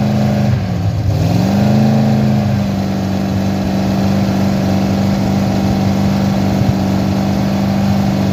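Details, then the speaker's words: Freshly rebuilt 318 V8 (resized ARP rod bolts, polished crank) first run on the engine stand for break-in: it catches and settles into a steady even drone with no knocks or ticks. "Yeah, we'll get this thing together and you guys will hear it run here pretty quick. Should go pretty smooth now."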